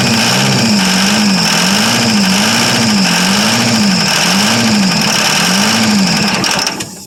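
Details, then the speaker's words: 1982 Chevrolet Silverado K10 with the 6.2 L diesel, sat about 22 years, exhaust apparently not hooked up: a raw, very loud unmuffled roar with a wavering hum, running only on starting fluid. It seems to get no fuel; unsure if the tanks have fuel or the left pump works. "Man, that thing's loud. Yeah, Harley sitting there. running. Well, she runs. I don't think she's getting any fuel yet, though."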